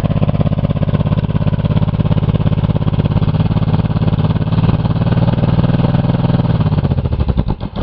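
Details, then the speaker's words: Buick 3.8 3800 V6 run with one rod removed, a holed block and little oil, already throwing more rods: loud ragged pounding about three beats a second, engine labouring then dying as three then four cylinders go, oil smoke everywhere; further rod failure suspected, not confirmed. "[ __ ] him about three cylinders there oh man four cylinders oh that was a loud one"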